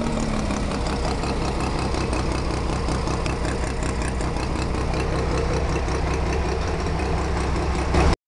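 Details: Mazda RX-7 FC bridgeport rotary at idle: choppy, lumpy idle with a fast, light clicking running steadily from the engine.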